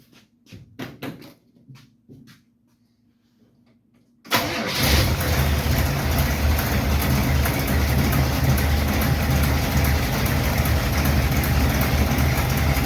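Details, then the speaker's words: '51 Chevy project V8 with a lumpy cam, after fixing lifter noise caused by pushrod/rocker issues including worn lock nuts; a few clicks, then it catches and settles into a steady, deep, choppy lope: normal idle after repair. "the Chug the Chug the Chug the CH way way better man sounds pretty freaking good"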